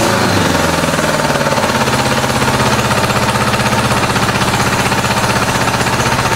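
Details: 1986 Honda Goldwing GL1200 SE-I fuel-injected, first start after electric fuel pump fitted: loud lumpy idle, about four hard pulses a second; two pipes cold, two cylinders dead; owner suspects stuck injector, not confirmed.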